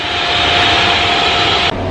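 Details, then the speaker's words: Chinese diesel heater newly installed in a 2015 Freightliner Sprinter van, running with its cover off after the fuel line was purged. Loud, steady rushing roar with a constant blower tone; slow to get going but working normally, just noisy. "it just takes a little bit for it to get going but it looks like it's looking pretty good quite loud"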